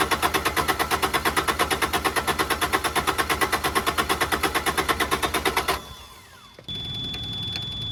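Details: Carrier Supra 850 reefer with Kubota D722 diesel on a Volvo VNL780, fuel lines just refitted loosely: even cranking about three beats a second that never catches, then stops; won't fire with air in the fuel lines.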